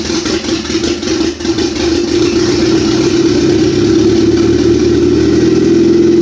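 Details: Freshly built Honda F23 turbo four-cylinder on its first start settles into a steady, even idle with a firm low hum; a fuel leak and vacuum leak were noted, engine still to be broken in.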